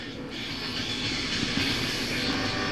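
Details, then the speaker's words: SoundTech PL250M amplifier whose protect light flashes at power-on and whose outputs are noisy: harsh, crackly hiss with no clean signal underneath; a chip fed a clean signal outputs scratchy sound, suspected faulty. "I don't know if you can hear it, but it sounds really scratchy."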